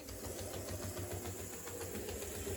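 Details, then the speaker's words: HO scale Alco Spirita 76 running in reverse: quick regular ticking, about ten per second, over the small motor whir; owner suspects a cracked idler gear, which he says is common on these, not confirmed. "This one might also have a cracked idler gear. I've noticed that that's a common thing on a lot of these."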